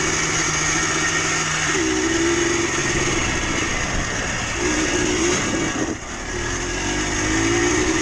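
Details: Yamaha Blaster 200 two-stroke quad riding: tinny metallic ringing over the buzzy engine, climbing with revs and worsening as it runs, sounding grindier; worn crankshaft (low-end) bearings, smoke suggests seals also going.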